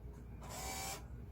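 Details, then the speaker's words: Repaired excavator stop motor, tested with key on and off: a short half-second electric whirr as it pulls the cable, so it works normally. The usual fault is a gear-plate contact that drifts apart, fixed by bending it for firmer contact. "일단 요거를 끼우면 소리가 나야겠죠. 지금 소리 났죠. 이제 이러면 케이블이 당겨진 거고,"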